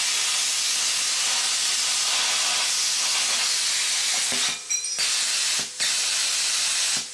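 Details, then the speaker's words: New plasma cutter, 55 amp setting, running directly on 240 V after sputtering on 110 V: steady, even hiss of the arc cutting cleanly with no sputter, clean stops as torch lifts; low voltage was the cause. "just to be sure no problem whatsoever"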